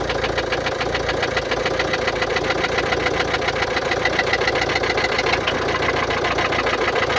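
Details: 2016 Mercedes-Benz Vito 639, OM622.951 1.6 diesel (1598 cm³, 84 kW/114 PS), 237,870 km: sharp, even valvetrain-type tick about three to four per second over idle; suspected defective hydraulic lifters, not confirmed.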